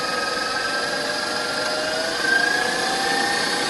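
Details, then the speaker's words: KitchenAid 6-quart mixer after speed control board 9706648 replacement: even high-pitched motor whir shifting slightly with speed, no grinding; on speed 1 the beater passes once per second, correct speed. "And then if you take it back down to speed 1, a KitchenAid mixer on speed 1 should pass your hand if you stick it out in front of or behind. It should pass your hand once every second, and that is the correct speed."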